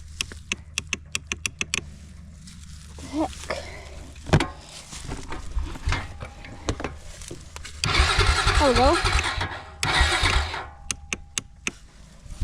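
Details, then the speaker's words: Honda Rancher ATV stored six years, on a jump box because its battery won't turn it over. A few starter clicks, then short uneven bursts of cranking that keep stopping; intermittent cranking, no start. "okay it doesn't like to continuously turn over um but we're going to do is obviously to try to fire it up"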